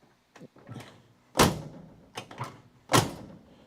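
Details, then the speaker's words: Driver's side door on a Charger crew cab conversion shuts twice, each time with a dull clunk just before the latch catches; door needs reshimming, worn out and sagging on its hinges from the previous owner rarely using it. "It's making a clunk before that latching mechanism moves. Now, once again, that's because the guy who owned this didn't really use the other doors. That door is worn out."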